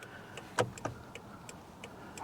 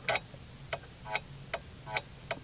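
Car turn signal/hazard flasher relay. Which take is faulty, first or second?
second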